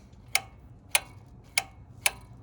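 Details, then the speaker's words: Honda Trail125/CT125 throttle body, heard with the mic next to it while the throttle is worked by hand; four crisp clicks in two seconds as the butterfly valve hits its open and closed stops. Full range of travel; normal, no problem. "here it hit this the the butterfly valve hit the stop"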